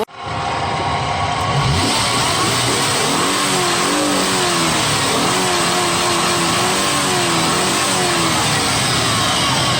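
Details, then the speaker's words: 2000 Nissan Xterra 3.3L V6 after fixing crank-no-start caused by faulty cam position sensor in distributor, timing set by mark: catches after brief crank, revs climb and fall smoothly, no stumble or miss. "Oh, it's working. Finally, guys, we got our issue figured out."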